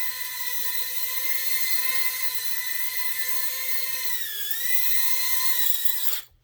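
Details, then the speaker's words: Tina quad after tucking in the receiver antenna that props were hitting: even steady high motor whine holding pitch with a brief dip, then cutting out; normal hover. "all right it's flying very nice"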